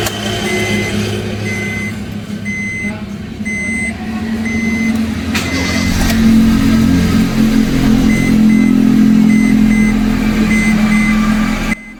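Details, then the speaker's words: Honda engine idling after oil-leak repair: smooth, steady low hum at a stable idle, beeping in the background, no check-engine light; the engine runs evenly and normally. "Mobilnya sudah nyala, tidak ada kendala cek engine, kemudian RPM-nya stabil ya. Nanti juga akan kami scanning kembali guys. Nah, ini normal ya mobilnya, dan suaranya juga halus."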